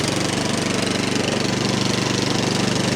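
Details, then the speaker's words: 13-year-old MTD snow blower, Powermore 208cc, just started on full choke and two primes after the fuel line was refitted, warming up: a fast, even single-cylinder beat at part throttle with no surging, not hunting. "She's running. I'm gonna let her warm up a bit. Ooh, it's not hunting at all."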